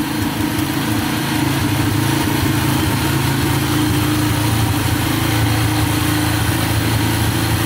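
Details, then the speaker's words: Yamaha TTR125 dirt bike after bottom and top end rebuild: idle turned down from slightly high, steady even low idle about three pulses a second, no misses, no smoke; normal idle. "everything seems good so far the idle was a little bit High I'm gonna turn that down there we go it's a little better foreign 's pretty good no smoking whatsoever"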